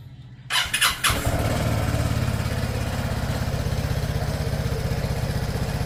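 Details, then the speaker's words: Vespa Primavera S 150 idling on its stock exhaust, recorded before fitting a Termignoni full exhaust; after a few starting blips it settles to a steady, even low putter about four beats a second: healthy idle. "Ayan guys, so ito yung before. Ito yung tunog ng stock exhaust natin."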